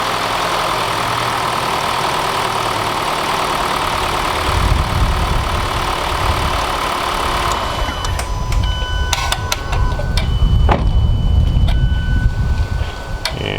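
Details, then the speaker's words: 2014-2016 Hyundai Elantra (non-turbo) after starter replacement and battery reconnection: brief crank, engine catches quickly and settles into a steady, even idle with no knocks or misses; normal start and idle. "there you have it start it right up"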